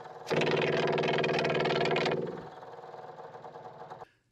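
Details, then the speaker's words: Onan QG 5500 EVAP generator in a 2019 Dutchman Voltage 4205 toy hauler, won't start, fuel line off, priming: rapid rattling buzz about four pulses a second, then weaker chatter, no fuel; fuel pump apparently cavitating from air in the line. "kind of acts like it's cavitating like it's got air in the line"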